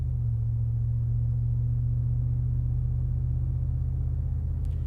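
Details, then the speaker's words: 2022 Ford F-150 5.0L Coyote V8 with a Flowmaster Super HP2 muffler fitted, heard from inside the cab under light acceleration: a deep, steady rumble with even firing and no ticks or rattles, turning more aggressive as the gearshift drops rpm. "don't know if you're picking that up, but as soon as it shifts and it drops the RPM, the tone actually becomes more aggressive."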